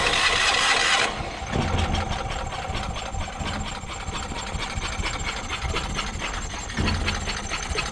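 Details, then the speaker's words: Yamaha EF4000DE generator running on propane: after a loud burst the engine runs unevenly and surges; owner unsure whether adjustment or air is the cause; rough running. "Well, it's trying to run on the propane once the propane gets into it. It's trying. It's trying. It's running on the propane right now."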